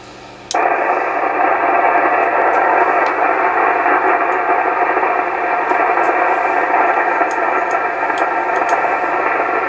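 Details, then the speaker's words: Classic Yaesu FTDX-560 tube ham transceiver just fired back up: hiss jumps up at power-on with scattered sharp crackles; indication of a dirty tube socket. "You hear that noise in the tube right there? That's the indication of a dirty tube socket."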